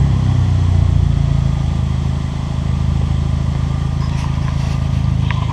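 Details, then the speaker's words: Abarth Punto Evo revved, straight-through 2.5 or 3 inch exhaust with only a back box: deep loud steady drone, no knocks or misses, no pops or bangs; noisy but normal revving. "It's a noisy little bugger, isn't it? I stuck my head under to have a little look, and it's got a full, I think it looks like, it's either 2.5 inch or it's 3 inch, but it's straight through all the way with just a back box, nothing in the middle. That's why it's quite loud."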